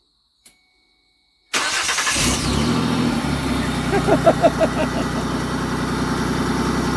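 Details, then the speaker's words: 2008 Mercury Mariner project started via the remote auto-start transmitter: quiet, then the engine cranks, catches and settles into a steady, even idle; clean start and normal idle. "what talk about kicking the teeth it runs everything that the other one does"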